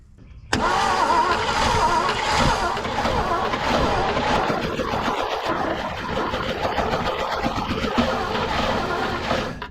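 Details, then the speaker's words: 1970s Chevrolet C-10 Custom sat 30 years, varnished fuel, fuel pump delivering nothing: steady starter cranking about three and a half turns a second that never catches; no fuel delivery, no start. "All right, so we're not getting any fuel coming out of this fuel pump, so I might just hook it right back up how it was."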